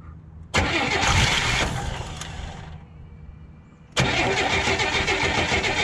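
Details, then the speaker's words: 1981 Oldsmobile Cutlass Supreme first start after a fuel pump replacement, started without a jump. It catches at once, fades, fires again at about four seconds, then settles into a slightly uneven, lumpy idle: it runs but not happily. "but it runs and it doesn't sound like death it doesn't sound like life either"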